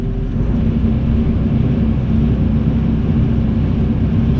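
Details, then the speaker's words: Kobelco SK140 excavator, about 1,082 hours, engine at full throttle, recorded inside the cab: a steady, even deep drone at top revs with no knocks, misses or rattles; healthy and quiet in the cab. "that is on full. This is just for sound now, but that's on full tilt RPM, and it's very quiet in here."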